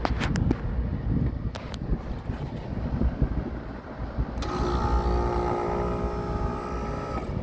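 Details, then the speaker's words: Carrier commercial AC unit that wasn't cooling, after fixing the disconnect fault: after outdoor clatter, the compressor cuts on with a steady humming drone and clear tonal note, then the blower; doesn't sound bad, running normally. "Compressor cut on. Compressor cut on. Blower motor cut on. I don't know if you can hear it. It don't sound bad."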